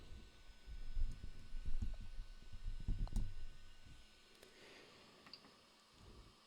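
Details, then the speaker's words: 3D printer with E3D V6 hotend unloading filament: irregular dry clicks, a few per second, as filament backs out; extruder clicking, owner suspects a damaged PTFE liner; manual axis retraction works fine. "if we do unload filament here it's still doing it I don't know if you guys can hear that it just doesn't want to"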